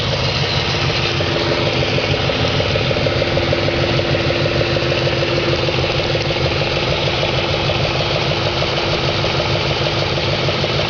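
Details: 2004 Audi S4 4.2L V8 at idle: steady idle with a fairly regular light knock, roughly three per second, over the engine note; no cause is pinned down yet.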